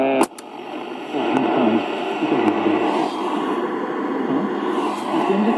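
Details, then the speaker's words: 1960 GEC BC505 transistor radio after repair, long wave: clear steady programme audio over light hiss. The hiss is RF interference from the bench. Normal reception, long wave working. "So long wave is working as well. It's just a lot of noise here on the bench, a lot of RF, which isn't ideal, as I've previously said, for a radio bench."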